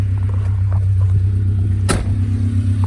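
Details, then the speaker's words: Nissan D21 Hardbody idling and revving in the driveway, heard from outside, after replacing the clutch fan with an aluminum radiator and electric fans: low, even, smooth hum with no clutch-fan vacuum-cleaner roar on revs. Normal. "it's a lot smoother you don't hear that clutch fan when you rev anymore either which is so sick"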